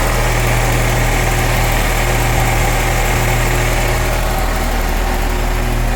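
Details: 1997 Mercedes SLK230 (R170) M111 supercharged engine after the fuel pump repair, running again after weeks of no-start: even steady idle with a constant low hum, no misses or tapping; runs cleanly.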